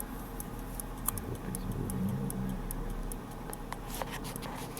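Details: Daniel Quare repeating pocket watch, c. 1690, ticking with the case open: light, even ticks about four a second in a quiet room; the movement is in very good condition and running cleanly.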